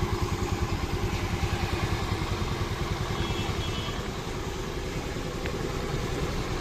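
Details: Honda Activa scooter after repair: crank bearing found as the cause of the engine noise, engine cleaned and refitted; now a steady, even putter about three beats a second with no knocks or rattles, idling cleanly.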